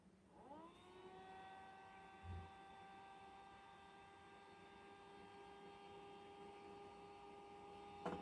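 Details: Creality Space Pi filament dryer fan after its bushing was cleaned and relubricated; before, it hummed and vibrated. Now it spins up within a second and runs with a steady, smooth whir, with no hum or rattle.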